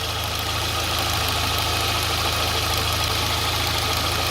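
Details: Petrol engine idling on gasoline with a low, slightly uneven pulse after valve adjustment, new spark plugs, equal compression and throttle body cleaning; the idle is somewhat better but still a little rough.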